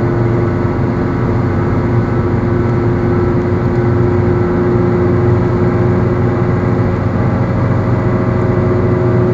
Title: Bad Wheel Bearing Noise-From The Start To The End Of The Problem